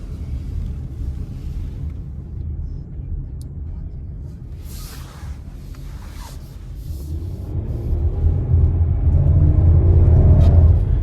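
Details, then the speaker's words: 2023 Chrysler Pacifica pulling away and turning left: rhythmic low front-end thumping/knocking that quickens with speed, also at low speed; loose front axle nut, gap seen between axle and hub (inner CV joint also considered). "that's not the road guys that's that's an that's an axle nut that's loose or an inner CV joint"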